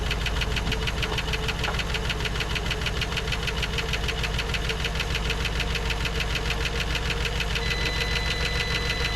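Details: 1954 Dodge Coronet Suburban wagon V8 (Hemi/Poly), stored 42 years, first start with about 35–40 psi oil pressure: fast, regular light ticking roughly three per second over a steady idle; lifter noise, gone by the second start.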